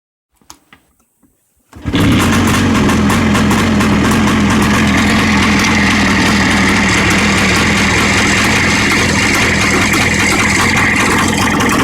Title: Стук в двигателе ява 634.